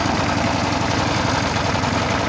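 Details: Vintage Maryland reel mower repowered with a single-cylinder lawnmower engine remounted upright, with an oil reservoir and straw drip, idling with an even, steady putter and no misses or knocks; normal healthy idle.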